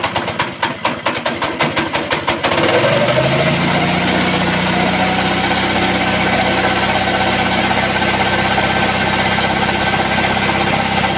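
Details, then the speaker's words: Go-kart small single after a governor bypass, throttle cable returned manually because the spring is weak: a few sharp pull-start chuffs, then a fast, steady healthy beat. "now that sounds promising"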